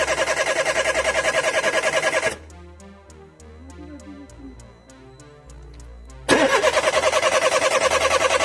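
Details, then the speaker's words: Peugeot 206 1.4 petrol: starter churns evenly about three to four turns a second in two bursts, never fires; no spark, fuel pump silent, ignition coil and injector faults logged; cause was failed BSM module, replaced. "after removing the coil strip, unscrewing the candles, there was no spark after I got in, it turned out that the pump does not make any sounds from itself"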